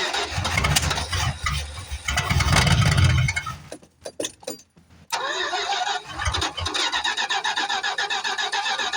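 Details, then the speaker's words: 1973 Plymouth Fury III, off the road 7 years, cold with bad gas: cranks, catches, stumbles and briefly cuts out, then refires into an uneven idle that pops, spits and sputters irregularly; rough running. "Yeah, she's still spitting and sputtering, but we'll see if we can get her to come to life."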